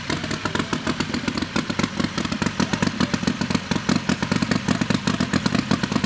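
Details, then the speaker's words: Turbo methanol Harbor Freight Predator 670cc V-twin dragster, newly fitted with a Polaris RZR CVT, run in the shop to check clearances: loud, crisp, evenly spaced pulses at a steady fast idle with no knocks or slipping; it sounds healthy. "That sounds cool. Every time. It never gets old."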